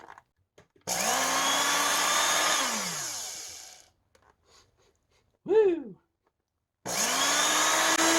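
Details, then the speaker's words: 20-year-old Oreck XL2800 vacuum motor after teardown and bearing repack: it winds up to a high whine and coasts down with a rough, buzzy edge. The carbon brushes are not seating on the commutator. "bottom line is I'm gonna run this thing and low in high speed and start it a bunch of times and see if I can't manage to use my seeding stone and get the carbon brushes which now definitely aren't seating with the commutator to actually seat"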